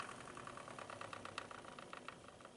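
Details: Corsair TX750W PSU that ran face-down with no ventilation, before lubricating the fan: quick, uneven clicking and ticking over a faint whir; fan bearing crazy loud, worn.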